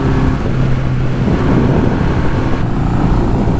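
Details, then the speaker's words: 1971 Honda CB500 after a ride: uneven, lumpy low drone instead of a clean steady beat, possibly dropped a cylinder; owner suspects head gasket letting go on the right side; rough running. "Although, I think I think we have a problem with the old CB500 if I'm being honest. You hear how it's doesn't sound right."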